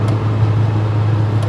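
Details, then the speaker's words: Austin Allegro after new ignition parts and a carburettor strip and clean, pulling at motorway speed on the M42 in top gear: strong, steady low drone, no misfire or stumble, engine pulling cleanly under load. "Yeah, I mean, that's pulling lovely."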